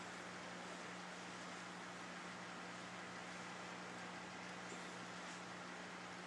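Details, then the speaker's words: Tube amplifier idling after replacement of cheap capacitors: only a faint, even hiss, no mains hum, tubes not red plating or running hot; sounds healthy. "Okay. No humming. Everything sounds good."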